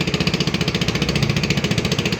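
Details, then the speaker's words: AXXO Viper 180cc scooter, revved: loud sharp puffing ticks about twelve a second at the cylinder head that rise with throttle; the exhaust gasket at the head is burnt and loose and needs replacing. "esto lo podemos apreciar el ruido excesivo exagerado el escape vamos a acelerar era obviamente el sonido aumenta"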